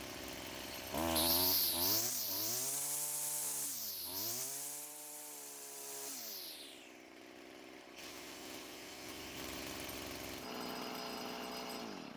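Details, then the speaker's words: Stihl string trimmer after clearing the clogged exhaust: quick, clean rise to a high steady buzz on each squeeze, crisp throttle response and even revving, engine speed much higher than before; normal full-power running. "The throttle response was much better, and of course the engine speed was much higher than before we cleared the exhaust."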